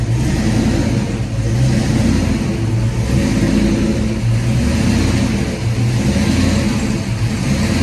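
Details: 1991 Ford Mustang GT hatchback V8 just after a cold start, following an ECU change: idle swells and sags every second or two instead of holding steady; owner suspects cold engine and IAC relearn, not confirmed.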